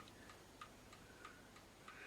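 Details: Old clock that was finicky and still being regulated, now keeping fairly good time but losing slightly: crisp, even ticks about three per second in a quiet room, running healthy and in beat.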